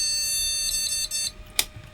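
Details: Retro AT-era PC with turbo button, RAM cleaned and being tried slot by slot: one steady high beep lasting about a second, then silence; normal single-beep POST, so that memory slot and the known-good RAM strip work.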